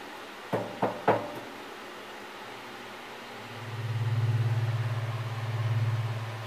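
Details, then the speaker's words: Wedge monitor converted into a SubKick microphone, fed from mixer aux 6 to the snake with gain eased up: after a few knocks a deep steady hum near 110 Hz swells and pulses, a controlled feedback that grows as he moves closer. "so there's our feedback that we were hearing earlier that's a almost like a controlled feedback I'm not touching anything just when me moving away goes away coming closer"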